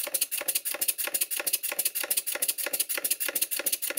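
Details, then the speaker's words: Stuart Models Twin Victoria model steam engine with excessive big-end play, loose valve gear and cross-head play, reluctant to start and needed a push: sharp tinny knocks about three per second like a pneumatic drill; knocking, cause suspected, not confirmed. "and the first thing that becomes apparent is it sounds like a Pneumatic drill and it wasn't self starting it was reluctant to start I had to give it a push"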